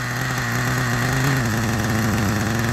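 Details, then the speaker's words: Old 1997 Kyosho nitro RC car with a cooling fan: a steady buzzing idle that wavers slightly and sounds soft and lazy, still rich; oil seen pooling from a suspected exhaust leak, and the transmission turns but there is no drive. "look at how easy it idles and it's nice and rich"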